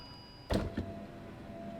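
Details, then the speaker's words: 2017 Fiat 500e driver-side power window, lowered via console switch: soft clunk then steady motor hum as the regulator track goes down but the glass stays put, apparently having fallen off the track; regulator/motor later replaced. "yes as you can see the window is now not going down and there it goes okay so the track is down but the window is not"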